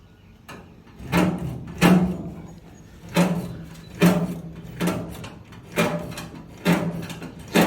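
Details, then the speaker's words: 1923 Buick custom build, Speedway Motors throttle pedal #91655111 just installed, grommet removed: raspy scrape with every pedal stroke, about eight in eight seconds, as the throttle linkage rubs the corner of the floor hole; hole to be reamed out. "just that noise is where it's rubbing so we'll have to clean that out"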